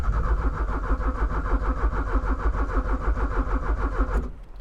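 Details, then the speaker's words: 1985 Porsche 944 that sat unused since 2013, crank attempt: even starter churning at about three beats a second with no firing; power reaches the Bosch fuel pump but the pump has failed, so no start. "So, that's quite a good indication. Looks like power is getting to the pump, but the pump has gone kaput."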